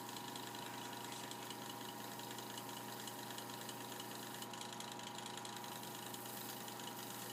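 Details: Mini sanding machine, previously not spinning and buzzing, runs normally after the fix (run capacitor replacement), with a steady, even motor hum at constant pitch.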